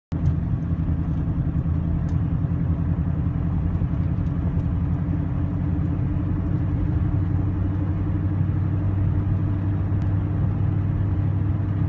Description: TVR Chimaera 400 misfire at low revs